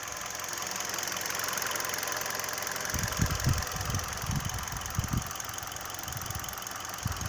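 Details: 2012 Hyundai Solaris 1.6 automatic, 130,000 km, after an oil change: irregular dull knock about three to four per second at warm idle, oil and coolant 80°C, also on lift-off and coasting, quiet cold, fades at coolant 90°C/oil 100°C; owner suspects piston slap.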